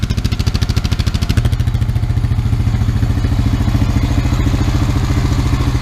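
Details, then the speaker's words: Used Honda Rancher 350 ATV after oil and filter change, air box off: steady, even single-cylinder putter about three and a half beats a second, smooth exhaust, no misses or knocks, no smoke; healthy idle. "It didn't run this good, but everything sounded just good. So no smoke. No smoke, exhaust sounds"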